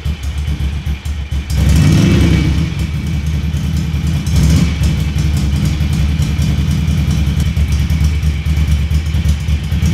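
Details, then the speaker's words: Ducati Monster 750 after engine removal and refit, exhaust silencers reinstalled: deep, even V-twin burble with throttle blips, no knocking; the previous engine knock is gone, no oil in the exhaust, and smoke is only copper grease on the exhaust studs. "Et important à noter, ce moteur là, il claque pas. Bonne nouvelle."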